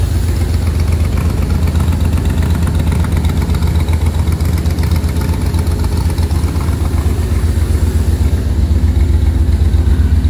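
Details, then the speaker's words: 1966 Corvette V8 first start after carburetor-to-Holley Sniper EFI conversion, first round of tuning: deep, lumpy, wavering idle, smells gassy; rough, rich running while the injection still needs calibration. "foreign well smells a little gassy running a little rough but I'm sure it's got to do its thing you should probably have more calibrations to do"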